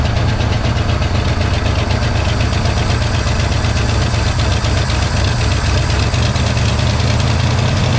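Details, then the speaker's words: 1963 Pontiac Catalina 389 hardtop, not run in 12 years, first runs on a cold day: low idle hunting up in revs without throttle, faint knock beneath, possibly fuel line hitting alternator; surging, owner suspects fuel pump and stuck carburetor needle and seat. "Why did you rev up like that, huh?"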